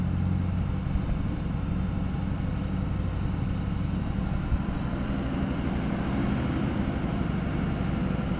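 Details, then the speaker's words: 6.0 Powerstroke diesel Ford Excursion after blue wire manual fan clutch switch mod, engine revved with fan clutch off: deep steady diesel drone, no knocks, squeals or fan roar, running smoothly before the fan is switched on. "So you can hear it, I'm just revving the engine up."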